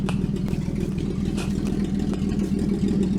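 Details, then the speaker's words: Rebuilt 1949 Chrysler 251 flathead six with fluid drive and a slant-six carburetor, first run in 18 months, warm after about 20–25 minutes: quiet, steady idle with a light even valve tick and no misses, oil pressure 42, temperature 160. "I mean that darn thing runs amazing really I mean just just listen to how quiet this thing is"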